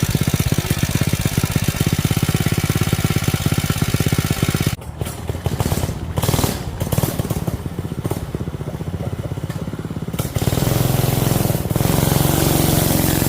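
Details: Rebuilt non-hemi Predator 212cc single with budget performance parts and added fuel pump, first start: quick popping beat, brief stumble midway, then picks back up and settles; rebuilt engine running.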